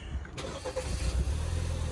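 A short crank, then the engine catches and settles into a steady low idle with nothing out of place.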